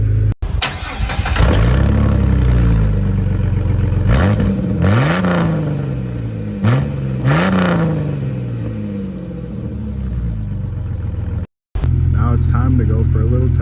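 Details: 2004 Jeep Grand Cherokee 4.0 inline-six with THOR cold air intake, startup after a new Flowmaster muffler and tailpipe replaced the rusted-off tailpipe: settles into a deep steady idle, then clean, smooth revs; normal exhaust note.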